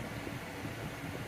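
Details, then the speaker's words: 2013 Chevy Cruze after replacing noisy blower motor and clearing rodent-nest-clogged cabin air filter, blower at full speed: steady even rush of air with no rattle or whine; normal blower operation. "so we got good airflow I got the blower on Full Tilt and it does not sound like a jet engine definite Improvement"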